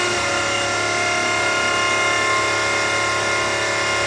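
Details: V8-swapped Mazda RX7, engine off: steady, loud electric hum with a high even whir as the fuel pump primes the new fuel system. Normal priming; no leaks after the loose fuel pressure gauge fitting was tightened.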